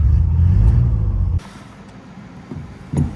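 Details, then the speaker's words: 1972 Citroën SM with Maserati engine, cold start with choke tried: catches and runs with a steady deep rumble, then settles quieter; started right up, a little cold but not bad; normal cold start. "oh it started right up it's a little cold but hey not bad"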